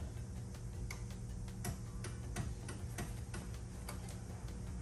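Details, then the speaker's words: 1968 Baja Beetle after wiring fixes and starter replacement: quick uneven ticking, no crank, starter clicking without turning over; owner suspects insufficient power, battery and wiring tested, key cylinder cleaned next. Starter clicking, no crank. "i mean it's getting power it's just not getting enough power i don't think"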